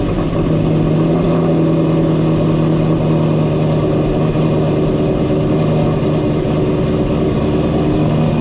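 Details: Ford GT500 supercharged V8 back home after a long road trip, with a vibration and rattle found and fixed: deep, steady, even burble with no knocks or rattles, a healthy smooth idle.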